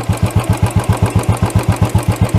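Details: Royal Enfield BS6 carbureted single-cylinder during idle tuning, strong even thumping about seven and a half beats a second, idle raised high on the carburetor screw; high idle speed.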